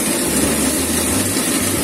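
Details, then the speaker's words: Water pump after replacing the impeller housing (keongan) with a Shimizu type 125 part, test run to fix weak flow: steady even hum with low drone and water rush, no grinding or rattle; running smoothly after repair. "Pating gemerajak. Halus suaranya. Setelannya oke. Hasilnya mantap."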